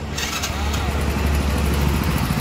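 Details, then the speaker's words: Hero Passion Pro after timing gear replacement (chain not fully replaced; earlier chain changed repeatedly without curing a kach-kach rattle): steady low idle, only faint light ticking remains, rattle mostly gone; engine now near silent. "अभी तो बहुत fresh है ठीक है अभी कोई आवाज नहीं है गाड़ी एकदम साइलेंट हो गई है"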